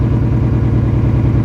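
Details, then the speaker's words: 2003 Subaru WRX wagon at first startup after replacing all four coil packs: low, lumpy, shaking idle with uneven beat and dips; still misfiring, cylinder 2 misfire detected; owner considers refitting old coil packs. "oh my engine's shaking guys this is not good I don't think it's good I might have to put the old coil packs back on so I can already feel it's shaking which is not good at all"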